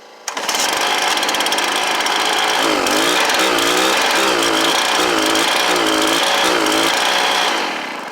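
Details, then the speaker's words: Stihl BR430 blower with replacement Hipa carburetor, straight out of the box: loud buzzy two-stroke idle surging and wavering instead of settling; idle setting off, fixed with about an eighth turn left on the high idle screw. "that only took guys like maybe a eighth of a turn to the left the high idle screw and and that's all it was"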